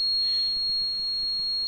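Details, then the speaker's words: Gas changeover switch emits a steady high-pitched alarm after gas injector 3 is disconnected while running on gas: open-load fault, injector signal lost, gas injection time drops to 0 and the car changes to petrol (Energia Italy gas diagnosis). "Now you hear that the switch is playing this sound, and as you see here, gas injector 3 is in open load. This is meaning that we have lost the signal of the gas injector, so we cannot sense if it's connected."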